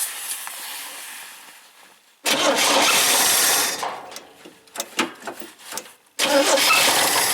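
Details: 1971 International Scout 800, AMC 232 engine with BW35 transmission, cranking: starter spins in bursts with separate pulses but never fires; no-start, suspected insufficient power to the coil/ignition and possibly no fuel.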